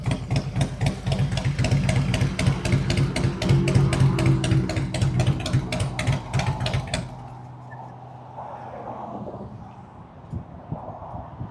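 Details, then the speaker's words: 2003 Harley-Davidson Road King 100th Anniversary with new headers, fishtail exhaust, Andrews 26A cam and ThunderMax passing by: strong, even V-twin pulses about four per second fading away; runs smooth and healthy. "I'll let off at high speeds, let it growl down, let you hear what the thing sounds like with the fishtails."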